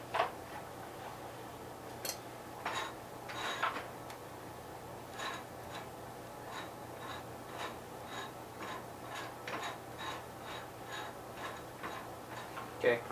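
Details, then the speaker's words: 1973 Gravely 810 after PTO clutch change, PTO clutch disengaged: quiet run with light irregular metallic ticks about once a second over faint hum; owner suspects forward or reverse clutch bearing, unconfirmed. "sure that noise is the forward clutch bearing or reverse clutch bearing"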